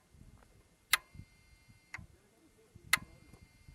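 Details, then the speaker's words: 2014 Kia Cerato that cranked without starting and had overheated, engine running after cleaning the VVT oil control valve and filter: crisp even single clicks about once a second as the intake valve opens and closes; normal operation. "شوفوا طبعا حاليا بعد التنظيف، شوفوا الأويل كنترول فالف انتيك تشغيل، اسمع صوته تفتح وتقفل."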